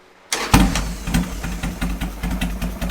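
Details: 2003 Harley Sportster 1250 after a top-end rebuild (pistons and cylinders replaced for piston slap), muffler fitted, heat cycle: fires first try and settles into an even, lumpy V-twin idle with no knocks or rattles. Normal start and idle.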